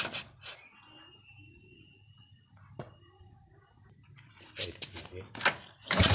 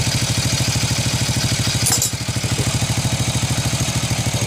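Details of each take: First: Early-generation Honda Revo carburetted motorcycle, hard to start and stalls when throttle is opened: quiet stretch, then rough bursts that sag and cut out under throttle; ignition checked normal, spark plug black and dry; cause was a clogged carburetor jet. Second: Honda Revo single-cylinder motorcycle after cleaning the clogged carburetor jet: even, steady idle at about two and a half pulses a second with a brief blip, now holding idle cleanly; white smoke reported at high throttle.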